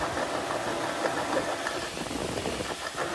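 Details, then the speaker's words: 1995 Jeep 4.0, about 140,000–150,000 miles, noise appeared after water pump, belt and idler pulley replacement; mechanic says worn power steering pump bearings, to be rebuilt: running engine with uneven metallic chatter and rattle. "So I talked to my mechanic, he says it's the the bearings here on the power steering pump."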